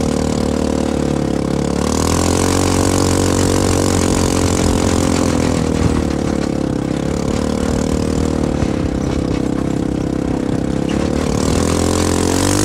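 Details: CFMoto 250cc 172MM GY6-type single-cylinder buggy after head rebuild (new head, piston, valves) and a re-spliced old pickup coil replacing a bad part, driven in the desert: steady even drone swelling smoothly with throttle over wind, no knocks or stumbles; running healthy.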